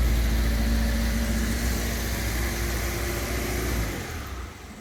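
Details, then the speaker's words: MGB GT after about 12 months in storage: a deep, even exhaust burble blipped up and settling back down, crisp and free-flowing with no misfire or knock; healthy engine. "have a listen to the exhaust note shall we sounds amazing fun"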